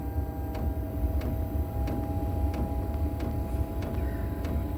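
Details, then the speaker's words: 8 kW Gearzaar Chinese diesel heater starting on battery module; low steady exhaust blow, fan speeding up, light even fuel-pump tick about every two-thirds of a second, glow plug then off, current dropping to 0.2–0.5 A; normal startup. "Still rating at 5.16. 5 amps. It's picking up a bit more speed. Fan's kicked in now, the glow plug's off, so it's 0.2, 0.5."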